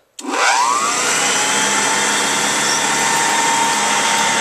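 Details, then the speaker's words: 1930s Kenmore "Automatic" upright vacuum with a Bertman motor and a non-original belt: distinctive startup as the motor spins up with a quickly rising whine, then settles into a steady, even hum with no rubbing or knocking; runs well. "it has that very distinct startup sound to it it's like well it's a Bertman motor kind of like the old apex or premier uprights"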